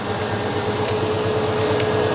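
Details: 1989 Chevy K1500 with mechanical fan, cold start after sitting 16 hours: loud steady roar of air over the idle, fan pulling lots of air across the radiator while cold; fan clutch stuck engaged.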